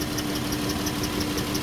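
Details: Dodge Chrysler minivan, 134,000 miles, severely overheated, coolant empty from leaks; lumpy idle with a faint regular tick several times a second over a steady hum: misfire.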